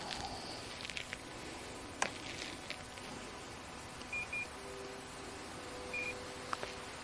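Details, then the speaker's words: Norwood HD sawmill IntelliSet setworks control box, reconnected to the battery and switched on: a click, then three short high diagnostic beeps, two quick and one later, showing the system is up and ready. "Perfect. That tells us that it's up and running and ready to go."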